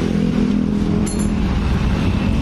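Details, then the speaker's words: 2018 Honda Beat digital scooter, oil changed two days earlier, noise appeared suddenly and worsens climbing: harsh, rough clatter over idle, traced to the cam chain tensioner, fixable without an engine teardown. "nih suaranya Farah suara tidak wajar"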